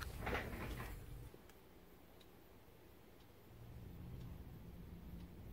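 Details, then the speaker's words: Water-damaged clock after repair: faint, even ticks about once a second in a quiet room; the clock movement is running normally. "here the clock is fixed and it works."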